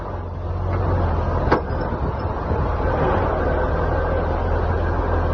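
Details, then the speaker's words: Semi truck under throttle: heavy drivetrain rumble with a sharp metallic knock from a badly worn rear differential; housing found full of metal shavings, internal gears worn, near catastrophic failure. "what you're hearing now is the rear differential on its last leg ignoring this noise could lead to catastrophic"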